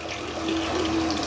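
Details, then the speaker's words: Shimizu water pump deliberately run until the water source is empty, check valve fitted: gurgling, sputtering flow with a wavering hum and no steady stream; the pump is running dry and drawing air, harmful if prolonged. "Oke sekarang kita akan coba ya pompakan Air ini sampai habis Apakah pompa ini nanti bisa kita Nyalakan kembali tanpa mancing ya"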